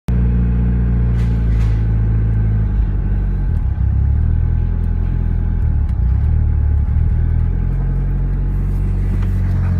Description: Mitsubishi eclipse 4g63 rough idle, with bc 272 cams, needs to adjust throttle stop , check for boost leaks and a good tuning.